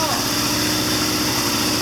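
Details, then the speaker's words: 1979 Triumph Bonneville T140D Special twin, after clutch repair: clutch let out in third gear against front brake, short steady run with even beat, no knocks or grinding; normal running in gear. "I just got the clutch moving now. I'll let the clutch out. There it is. Mission accomplished. She runs."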